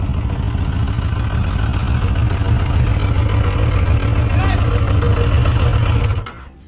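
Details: Suzuki RF900 multi-cylinder motorcycle started and idling: lumpy, uneven, stumbling beat, not smooth, indicating a cylinder misfire before revving and diagnosis.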